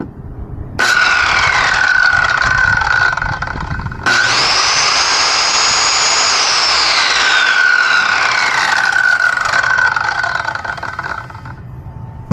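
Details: Circular saw, after installing a new blade and tightening the bolt, test run standing on its bottom cover: motor spins up fast to a clean, steady whine, holds even speed without rattle or wobble, then winds down smoothly; saw runs healthy.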